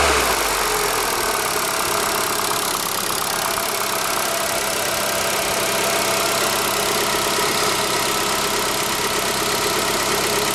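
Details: ZAZ Forza, 2,500 km, fresh 5W-40 synthetic oil, idle: fast light steady ticking under the hood; persists when warm, vanishes briefly on throttle blip; owner suspects hydraulic lifters or injectors, later traces it to an ancillary unit, not the engine.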